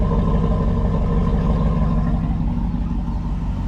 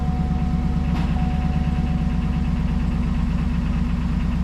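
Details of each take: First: Early small-block Chevy V8 at cold idle, slow oil-pressure build and one noisy lifter, waiting to warm up: deep, steady, even exhaust rumble, a healthy exhaust note. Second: GMC Denali LS V8 cold start, long oil pickup tube makes oil pressure slow to build: light quick ticking over the steady idle rumble.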